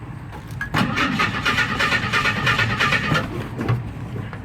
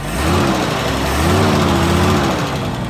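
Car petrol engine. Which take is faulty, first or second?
first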